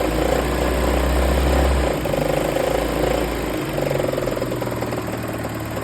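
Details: 1993 Toyota 22RE engine at a steady idle with a dull knock repeating about four times a second under the rumble. A deep bottom-end knock; a rod knock is suspected but not confirmed.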